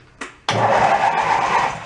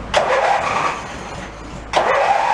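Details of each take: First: Mid-1980s Snapper riding mower rescued from a dump, with the seat safety switch wires jumpered and the transmission in neutral: a quick click, then the engine catches at once and settles into an even, steady run. It starts and idles normally. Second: Mid-1980s Snapper riding mower, cold, mower deck off: two short cranking bursts turn the engine about three times a second, then drop off without catching. It cranks but won't start; suspected cause is the lever not staying forward or the starter relay contacts.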